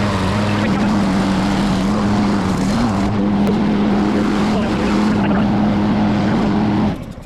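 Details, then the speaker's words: Craftsman mower found in trash, after repair and new blade: small engine holds a steady, even hum without shaking or knocking, then shuts off; runs and cuts well despite some bent parts. "It runs and cuts great. Just a couple bent things."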